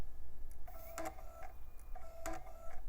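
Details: iMac G4 optical drive, removed and disassembled, powered on the bench with a disc clamped (laser visible): it whirs up, then makes repeated seek buzzes and clicks about a second apart, never settling. It fails to read the disc; the drive is suspected to be no good.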